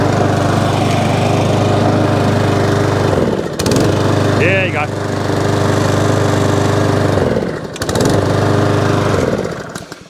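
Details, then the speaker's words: Mountfield SP454 single-cylinder mower, cold at about 3°C, after knocking noise underneath fixed: smooth, even idle with steady hum, no knocking or rattles; normal idle. "good fixed it now all runs drives no hideous noise and i fixed that for nothing"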